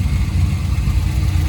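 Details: Corvette C5 V8 fully hot after a drive around the block following coolant tank replacement, idling 15 minutes: deep steady even rumble, no knocks, misses or surges; normal warm idle, earlier smoke believed burned-off coolant.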